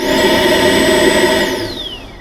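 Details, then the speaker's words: 2009 Ford Fusion with codes P0410 and P0491 for secondary air injection: the electric secondary air pump, run by energizing its relay with a test light, gives a high steady whine, then spins down smoothly when power is cut. The pump runs normally. "this should click the relay and run the pump"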